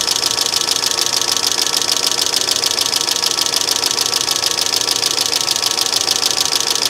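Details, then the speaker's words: 2005 Mercedes ML350 (W163), bought with no oil in it, at startup while a power steering whine is being addressed: fast, even ticking chatter over a steady idle. Owner hopes there is no oil delivery issue; cause unknown. "I don't like the chatter I really don't like the chatter either so hopefully we don't have any oil delivery issues"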